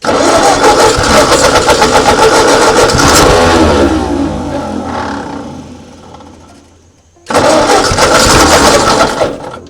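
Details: 1939 Ford tractor sat in field 20+ years, hand choking, throttle being adjusted down: engine runs with steady beat around four firings a second, then fades and stutters before picking back up; normal running.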